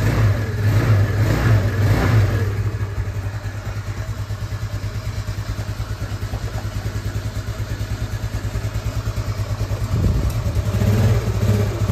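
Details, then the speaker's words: Yamaha Nouvo scooter bored up to 148cc, after a starting fix with a size-20 part, on ASBRT exhaust. Two crisp revs climb cleanly and drop back to a steady, even idle without stumbling. Runs normally. "Suaranya adem guys. Karena ASBRT emang nggak bohong lah untuk suara."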